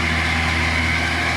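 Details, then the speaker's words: Miller 330 A/BP welder running with coolant flowing: steady machine hum with a fine, dry rattling chatter from the cooling fan motor, still present with the radiator off; fan bearings are dry. "but it's got a kind of a a rattling sound so I'm going to give it a second see if we can get into some streeing all right I have the radiator off right now it's still kind of here it's not steing yet but those bearings are dry"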